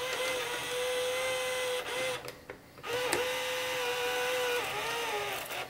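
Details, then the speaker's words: 1987 RCA CPR300 VHS camcorder under repair, tape loaded, fast forward and rewind tested: mid-pitched transport whir dips and wavers with stop-start gaps, noisy with speed wobble; belt problems suspected, possibly the pinch roller. "oh yeah we got some other belt problems I bet you it's that pinch roller let's see if we can fast forward and Rewind stop that doesn't sound good"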